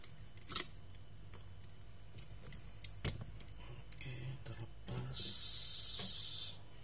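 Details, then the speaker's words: Lenovo V130-14IKB laptop, dead, reported shorted, motherboard removed: multimeter continuity buzzer gives a steady high buzz of about a second across the 19V rail, which should not conduct, so the rail is shorted. "ini biasanya kalau Bu bazernya bunyi di jalur 19 yang harusnya dia enggak bunyi bunyi itu maksudnya dia ada ada yang short ya dia nyambung guu harusnya dia enggak nyambung"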